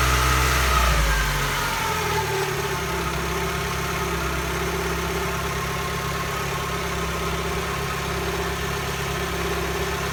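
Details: Mazdaspeed Protege turbocharged petrol engine after rebuild, idling steadily with a thin constant whine over the engine note.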